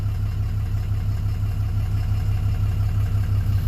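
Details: 2007 Dodge Ram 2500HD 6.7 Cummins after no crank/no start repair (original TIPM kept); aftermarket parts, needs tune. Deep, steady diesel idle, even beat, no knocking or surging: normal idle.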